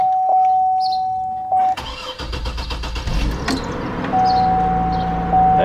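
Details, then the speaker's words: 2006 GMC Envoy starting after alternator and water pump replacement with the battery disconnected (earlier VVT sensor code): short crank, clean catch, smooth even idle; a slight miss sometimes appears in the first 20 seconds, then normal start. "start right up sounds good oh the idle is for the first 20 seconds here sometimes I get a slight Miss but seems like it's okay now"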